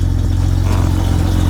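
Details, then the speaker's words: 1997 BMW E36, former drift project, just started after an ignition problem. It idles with a deep, uneven, lumpy throb and a clattery edge, said to sound like a diesel truck. A chattering clutch is also suspected. Rough idle. "Okay. She started but she sound rough."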